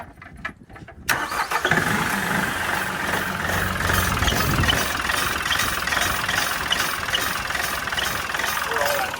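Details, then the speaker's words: LS MT3 35 common-rail diesel tractor with a suspected faulty fuel pressure regulator (suction control valve): catches, then runs harsh, uneven and clattery; rail pressure too high, causing over-fueling and stress on the injectors. "in there because the fuel rail pressure is too high. It's basically over fueling and it's putting a ton of pressure on those injectors."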